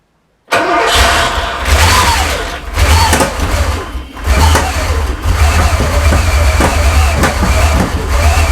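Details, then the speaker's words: Porsche 928 first start after an engine rebuild, airbox loosely fitted: cranks, catches and runs about 15 seconds unevenly with repeated pops and bangs. Clearly missing on one or more cylinders, cause not yet known. "and there we have it so it's clearly missing on something there a lot of pops and bangs"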